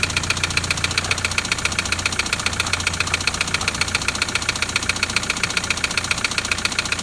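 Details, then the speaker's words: Toyota Land Cruiser LC120 diesel at idle: sharp, very even tapping about 3.7 times a second, a loud mechanical knock deep in the engine; suspected piston hitting the head, pistons possibly cracked, not confirmed. "so with this one i heard the same noise straight away you know there's a number of things it could be but that loud tapping i straight away believe to be the piston tapping on the head okay"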